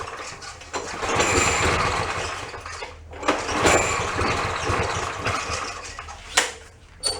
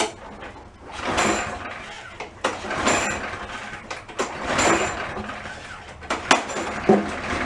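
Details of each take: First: Push mower that wouldn't start: uneven sputtering, surging and dying between pulls. A stuck float is overflowing and flooding the carburetor, making it run rich; the air cleaner was packed. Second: Push mower that previously would not start, test run after troubleshooting: several sharp pull-starts, then it catches, revs up and settles into a steady, even run; running healthy.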